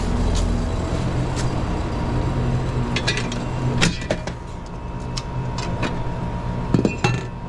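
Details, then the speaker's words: Condenser unit with loud-noise complaint, suction down to 25 psi, piston metering device: steady low compressor hum with scattered metallic clinks, compressor running starved at low suction; suspected low refrigerant or faulty Schrader valve, not confirmed. "I'm down to 25 psi on my suction and y'all can hear this"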